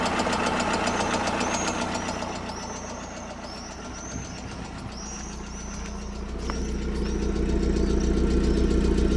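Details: 16-valve engine that burns oil, with oil in the spark plug wells and smoke, possibly badly overheated: a sharp, regular knock about four times a second over a rough idle, source not pinned down.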